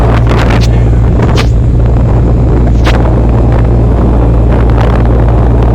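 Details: Camper air conditioner running with its top cover off: steady low compressor and fan hum at constant level, no rattles or surging, some wind noise; blowing cold, coil cold, other end hot; running normally.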